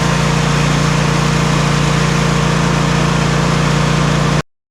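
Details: Simplicity Regent S mower engine, started off a booster pack because of its weak 230 CCA battery, runs at a steady, even speed with a smooth low drone, no misses, knocks or surging. Normal running.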